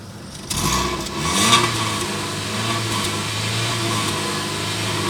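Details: I-20 engine picks up and revs, then holds a steady hum with a faint whirring overtone; abnormal engine noise, cause unclear.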